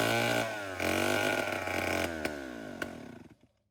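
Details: Vintage Homelite 7-19 (late 1950s–early 60s), after carburetor cleaning but still needing a new diaphragm: rough, uneven two-stroke buzz that sags and sputters, then dies within about three seconds; poor fuelling suspected, not confirmed.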